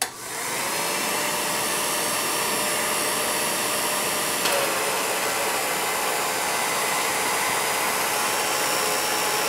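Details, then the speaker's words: Circa-1949 Revere P-90 8mm silent projector during teardown service, clutch engaged, run before oiling: steady dry whirring with a faint thin whine over hissy mechanical rush; dry unlubricated mechanism. "The next thing we're going to do is engage the clutch, and we're going to hear the unit run before the oil is added."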